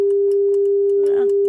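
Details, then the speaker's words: Luxman R-1030 stereo receiver, test tone via auxiliary input: steady tone broken by clicks and crackly static bursts when switches move; dirty switch contacts, cleaned afterward. "staticky there."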